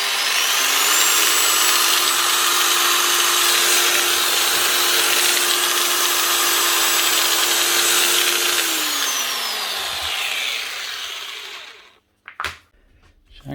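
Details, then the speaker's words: Old variable-speed 110 V angle grinder: holds a steady but low, lazy whine for about eight seconds, then winds down at only about half speed; the speed controller is suspected. "SS Le she only running half speed no thought I might have been 240 volt machine and they just put a 110 volt plug on it but it is 110"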